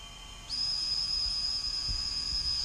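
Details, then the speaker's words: Rakon 66 quad, all four new motors spun up together from the motors tab, directions checked: one steady, high, even whine with no roughness or wavering; all four healthy. "And 4 clockwise. So they're all good to go. And here's all 4 of them spinning up."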